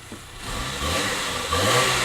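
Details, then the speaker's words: Saab 900S with service history, started after immobiliser disarm with Scorpion fob: engine catches cleanly and revs rise smoothly to a steady even note with no knocks or rattles; sounds really sweet; normal start and rev. "Engine sounds really, really sweet."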